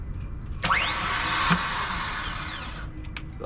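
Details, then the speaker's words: Sailboat engine after a smoky incident, alternator possibly toasted: starter gives one click then a high whine spinning up and dying over two seconds with no cranking; starter motor not engaging. "the starter motor is not connecting it's connected but you know it's like it's not engaging yeah turn on just one click"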